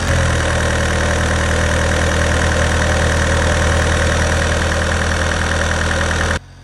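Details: Vauxhall Astra H van, converted to 1.9 Z19DTH Fiat Multijet diesel, after top-end engine damage repair and re-timing: even, steady idle clatter with no knocks or misses, running healthy.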